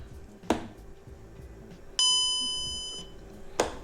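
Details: VW Golf 5 instrument cluster (same as Caddy, Eos, Tiguan, Touran), after repairing the warning buzzer/loudspeaker that had gone silent, bench-powered: clean bright chime ringing about a second between two clicks; normal warning chime.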